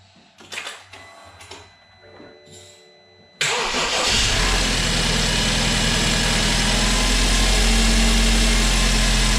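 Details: First start of a freshly rebuilt, previously seized BMW 328i engine, car not fully assembled and drive shafts disconnected: quiet pause, catches at once, settles into a steady, even idle with no misses or knocking; healthy.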